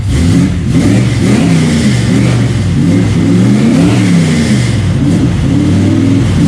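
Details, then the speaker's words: 1955 Pontiac Custom with 327 V8 and 4-speed, just out of storage, hard life but ran fine last times: deep V8 burble rising and falling smoothly with each throttle blip, no knocks or misses; healthy start and rev. "it seemed the Run fine last lot of times and it's it's had a pretty hard life but it it seems to run good still"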